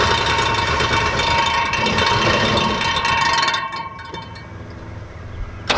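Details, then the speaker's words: Abandoned Dodge Aspen, 90,000 miles, first drive after 17 years: light uneven rattle about four taps a second over the engine until shutoff, cooling fan rubbing a fuel line, clearance then fixed. "just in case you were wondering what that rattling sound was that was actually the fan rubbing against some fuel line right there"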